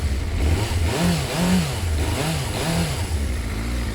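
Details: Suzuki Bandit 400 with 22,000 miles, first start at purchase: the engine catches and blips through a few smooth revs, pulling evenly up and down with no knocks or misses and no smoke from the exhaust, a normal start and rev.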